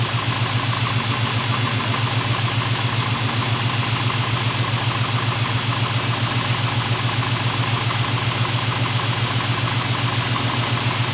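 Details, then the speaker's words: Pontiac Firebird with transplanted LS1 V8, first run in 25+ years, heard from outside after an exhaust leak fix: steady, even idle with a firm exhaust pulse and no ticking or leak chuff; alternator not charging. "Other than that, I consider that to be a successful first start, restart, I mean, successful first start."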